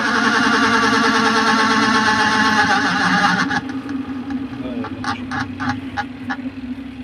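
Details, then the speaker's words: Spin dryer (spinner motor) spinning: a loud, rough whirring drone with a scraping edge, then it winds down. Brakes were checked and sit clear and the seal looks fine. "तो आपने देखा कि इसकी बहुत ज़्यादा आवाज़ है। मैंने इसकी ब्रेक्स वगैरह भी देख ली है, ब्रेक भी इसकी अलग है"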